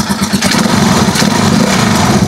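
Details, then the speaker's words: Rusi Chariot 175 trike single-cylinder engine after temporarily refitting a brittle, leaking rubber hose that caused hissing and overheating: even, steady idle thump with no hiss or leak sound; normal idle after fix. "So matining na yung under niya, wala nang ingay. Walang nang ingay na naririnig tayo kay Chariot."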